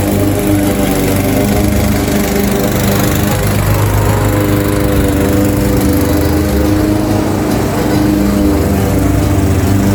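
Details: Craftsman 21-inch mower, 5.5 hp Honda GCV160, cutting grass at height level two after service: steady, deep drone holding pitch under load, faint background music; pulls evenly, healthy, fully functioning, nothing technically wrong.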